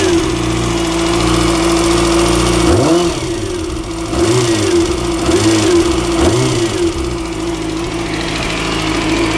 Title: Weird engine rattling noise